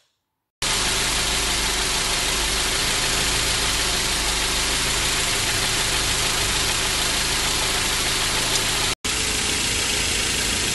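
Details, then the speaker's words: 1987 Mercedes 190E non-catalyst with KE-Jetronic, after owner's fuel adjustments, mixture made richer, idle rpm lowered and Seafoam engine cleaning: steady even idle with smooth unchanging hum, shaking almost gone. "of course he told me that he had to do sea foaming of the engine and the vibrations the shakings were almost non-existent"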